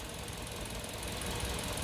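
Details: New Carens 2.0 LPi engine after replacing faulty spark plugs: steady, even idle with consistent low thrum, no stumble; earlier misfire/shudder gone, cause was the spark plugs.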